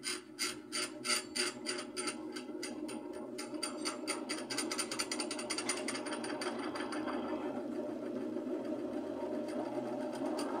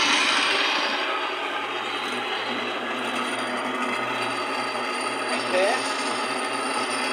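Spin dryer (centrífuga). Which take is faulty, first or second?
first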